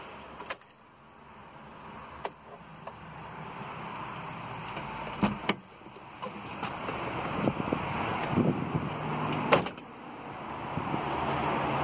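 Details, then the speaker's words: 2000s-era Mitsubishi, key on: both radiator fans run whenever ignition is on, whooshing and changing speed erratically; failed cooling fan controller, about to be replaced. "now it's basically doing a thing where just whatever the ignition's on the fans on basically"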